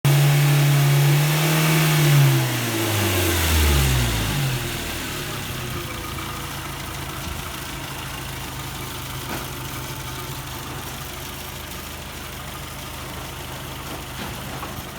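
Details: 2000 Chevrolet Tracker petrol engine revs briefly, then settles to idle with a faint light ticking, suspected valve lifter tick, unconfirmed.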